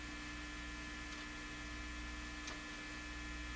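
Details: National HRO-60 communications receiver during signal tracing of extremely low output: a steady low mains hum with faint hiss and no signal-generator test tone coming through, so the signal is lost somewhere along the chain.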